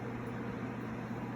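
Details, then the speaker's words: DIY air cleaner after replacing a motor with a seized bearing, with the old starting capacitor temporarily fitted: low steady electric hum with even airflow rush, no scraping or rattle, quieter than the old motor; normal blower motor operation. "that works much better i think it's quieter than the other one other motor was too"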